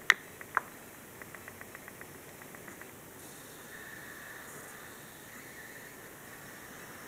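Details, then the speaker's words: Dell Precision M3800 laptop plugged into power: faint hiss with light ticking, and the high static pitch shifts as screen brightness goes dim to bright; gone when unplugged, suspected backlight-related electrical noise near the power adapter plug. "What I'm going to do is adjust the screen brightness. Screen is dim. Screen is bright, and the sound changes in pitch."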